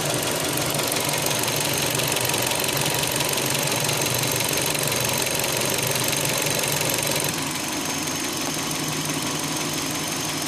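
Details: 2005 Hyundai Elantra, running right after the owner tightened the timing belt; noise was present before but less prominent: hard, fast constant metallic tapping at idle; engine knocking of unknown origin.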